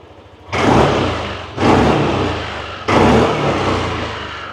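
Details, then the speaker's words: Yamaha Aerox 2022 Top model scooter, about 15,000 km, original engine and exhaust: three quick throttle blips, revs climb sharply and settle smoothly, quiet exhaust, no white smoke, no stumble or hesitation; healthy throttle response. "เร่งบิดติดตามมือเลยนะครับก็ไม่มีอาการที่แบบว่ารถมันจะมีสะดุดหรือว่าวอดอะไรประมาณนี้นะ"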